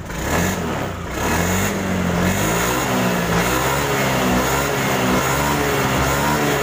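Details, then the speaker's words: 2017 Honda Beat scooter that would not electric-start, after repair and reconnecting wiring: starter catches, engine fires, revs and settles into an even, steady run; starter system working normally. "Oke, starternya udah hidup."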